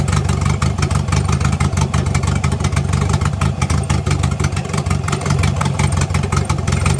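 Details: Engine idling and revving after an exhaust leak was fixed: even, full note with no ticking or puffing; normal idle and revving.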